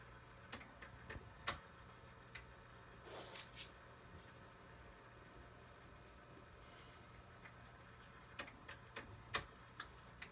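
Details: Sharp Twin Famicom Disk System bench-tested open after a belt replacement, with a Mario Golf disk inserted. Faint irregular clicks and ticks over a quiet motor hum, with no steady spin-up. It still fails to load, and a circuitry issue is suspected.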